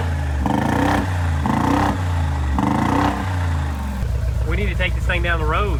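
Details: Rebuilt wrecked 2022 Mercedes G63 V8 with new Armytrix straight-pipe exhaust, just started, revving and settling: a lumpy, choppy note, not firing cleanly. Misfiring, like running on two cylinders; owner suspects oil in the spark plugs after a rollover.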